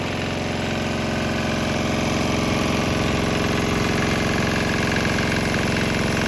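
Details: Swan X 165F Chinese single-cylinder diesel restarted on 100% used canola oil with about 10% diesel residue, with nearby speaker box rattling: fast steady firing thump, even beat, some mount rattle; running smoothly.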